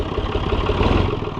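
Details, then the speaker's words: Oliver 1250-A tractor after tie rod replacement, started in warm weather: fires right up and settles into a steady, low, even diesel idle with a firm regular beat, no knocks or misses; normal idle. "fires right up."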